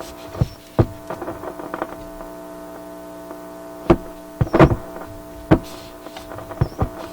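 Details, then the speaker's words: Restored Atwater Kent 944 tube radio that howls when tuned: steady low buzzing mains hum under handling clicks, picked up by an ungrounded tube shield can. Grounding the can removed the hum. "That sounds a little better, doesn't it? The hum is gone. It's a bigger problem than you might have thought. Just grounding that can has improved things."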